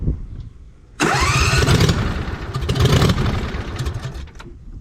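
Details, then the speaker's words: 2007 John Deere Z425 zero-turn with replacement Briggs & Stratton engine (44S977-0032-G1), first test run, fresh oil, muffler not yet fitted: catches at once, loud raw steady beat, no knocks; normal running, unmuffled. "it's gonna be a little loud too because the muffler's not on yet"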